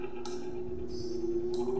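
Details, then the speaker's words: Electric fan, plugged in, hums but won't start, turning only when spun by hand; the capacitor is judged fine. Steady low mains hum, blades never picking up speed: the motor stalls on a worn, sloppy shaft bushing. "Okay, meron po ditong isang electric fan na ating gagawin at ang concerned ng may-ari ay ano po ayaw daw pong umandar at naugong lamang po."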